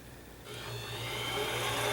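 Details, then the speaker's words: Mini lathe motor run at the owner's usual speed: steady hum with a low tone and smooth whirring hiss, no knocks or grinding. Quiet in person, normal running. "and it's really quiet here, but for some reason when I play it in the camera, in the video, it sounds terrible."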